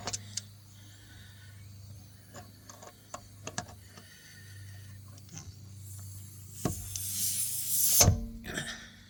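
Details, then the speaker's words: Car tire, flat from a long screw, jacked up on a stand after airing up: quiet, then a strong steady hiss builds for about two seconds and cuts off as the screw is moved; air leaking through the puncture before plugging. "I can hear it starting to leak. I moved it a little bit and I plug I think I plugged it up"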